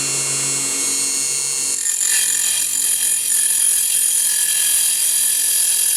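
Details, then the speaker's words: Mini table saw motor at 24 V, about 3,000 RPM, cutting 1x3 pine: high whine holds steady as the blade bites in, no bogging or slowdown; motor has enough power for the cut. "well that worked very very well so you didn't hear the motor slow down at all it's clearly got enough power to go through a 1in uh piece of pine so that's good"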